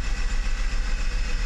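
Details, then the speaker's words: Mercedes 600SL with E-gas throttle control module tested OK before throttle body rebuild: smooth, steady low hum with an even pulse and no knocks or misses at idle and on throttle; normal idle. "okay well that looks good to me let's give it some gas [Applause] all that looks very good to me"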